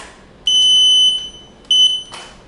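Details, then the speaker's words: Journey Air folding power wheelchair backing up: two sharp, high-pitched beeps in quiet, the first about 0.7 s and the second shorter. The reverse warning beeper works; it toggles off with horn plus slower speed, and on with horn plus faster speed. "So if you don't want the chair to beep when you back up, what we're going to do is hold down the horn button and the slower speed button."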